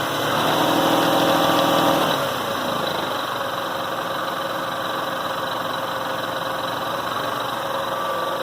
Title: Rattling/clattering noise 97 Toyota Avalon